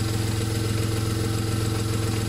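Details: VW Polo after alternator repaired rather than replaced: smooth, even idle with steady low hum and regular soft pulses, no misses or knocks; engine runs cleanly.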